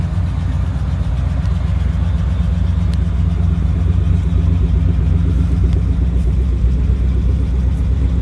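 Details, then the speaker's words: 1959 Chevrolet Apache 3100 step-side pickup, first run in over 20 years of sitting with a fuel leak noted: steady, even V8 beat of about four pulses a second with a firm low rumble, no knocks or misses; it sounds healthy. "got not bad first time running over 20 years 1959 Chevy Apache"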